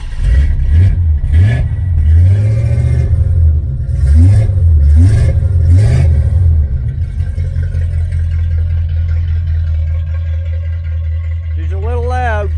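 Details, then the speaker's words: 1977 Malibu Classic V8 with new headers, an X-pipe and a race exhaust with single-chamber mufflers. Blipped several times, then a deep, even idle. Throaty and loud, but the engine runs healthily. "last episode put on new headers xpipe race exhaust system one chamber Mufflers sounds amazing start it up for you"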